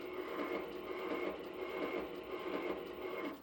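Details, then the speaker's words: Aluminum round stock being trued in a lathe chuck for surface grinder riser feet: gritty, uneven rumbling texture with faint irregular pulse at steady spindle speed, thought due to the piece not being completely round. "remaining texture in the sound there I think is just due to the piece not being completely round"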